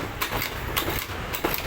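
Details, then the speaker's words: Carbureted Honda Beat scooter, dying and using excess fuel, cranked on battery: quick uneven puffs about two per second with no firm compression resistance; compression lost. "Nah, ini namanya kehilangan kompresi, Bro. Kompresinya sudah hilang."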